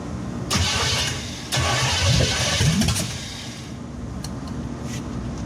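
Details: 1963 Chevy C10 355ci V8 (350 .030 over), unrun for years, new battery, timing unknown: starter cranks in surges, engine catches briefly then dies. No-start from no fuel, traced to the failed mechanical fuel pump, later replaced.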